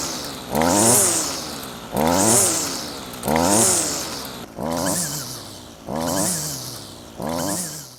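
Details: Stihl FS55 two-stroke line trimmer, after fitting a new flex-shaft liner and greasing the shaft to cure vibration on acceleration, blipped six times: revs up cleanly and settles back evenly, smooth with no rattle.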